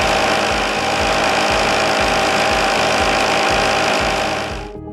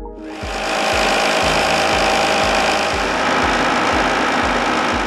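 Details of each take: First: Blackmer LGL3 sliding vane pump running without a cavitation suppression liner: harsh, rattling noise with a steady pulsing beat like gravel churning through the pump; pump cavitation. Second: Blackmer LGL3 sliding vane pump fitted with cavitation suppression liner, compared side by side with unlined pump under identical conditions: steady even rush with soft low pulse about twice a second, no harsh cavitation crackle; smoother, quieter.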